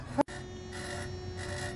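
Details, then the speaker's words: Thermo King trailer reefer unit being stopped. A click, then a steady high tone with chirping bursts about every half second as the refrigerant is pumped back down. Normal noise that stops once done. "Arkadaşlar bu cıyır cıyır ses geliyor. Bazı arkadaşlarımız bu sesi soruyor. Bu gazı indiriyor aşağıya. Ondan gelen ses."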